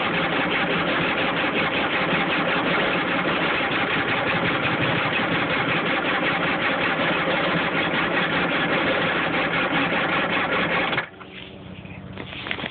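Steady, rapid starter churning at an even rhythm with no catch or firing, then it drops off; the engine turns over but won't start.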